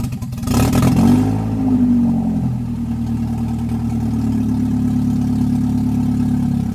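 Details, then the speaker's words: Toyota 1NZ engine in an MR2 that wouldn't idle on its own, now running; quick blip then revs sag, rough and hunting, nearly stalling; owner suspects idle air control valve. "so guys it's time for happy dance it idols wants to die every once in a while that might actually be the idle air control valve"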